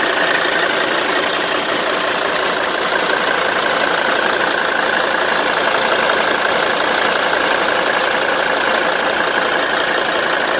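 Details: Mercedes 270 CDI diesel engine idling with a busy, steady metallic rattle over the usual clatter; source unclear, owner asks which part makes the noise.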